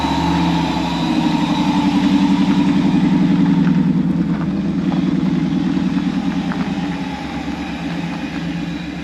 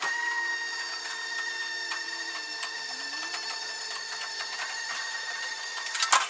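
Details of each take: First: Truck idling before its in-tank fuel pump upgrade: fast, even engine beat with a thin, steady, loud whine from the noisy fuel pump. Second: Mini truck after in-tank fuel pump upgrade with new line to original filter, priming before start: even high-pitched whirring hum, quieter than the old pump, smooth with no rattle; healthy fuel pump priming.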